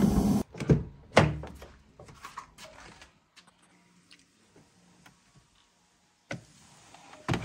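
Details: Skoda Fabia 3, quiet cabin with bursts of irregular clacks and thuds behind the dashboard, then scattered ticks: the fresh-air flap actuator knocking, diagnosed and then repaired.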